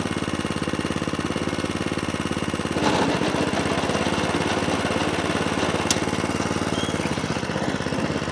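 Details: Atco Balmoral 20SK cylinder mower with Kawasaki engine: dropped from full revs to idle, giving even, quick firing pulses with no misses or knocks. Normal, smooth healthy idle.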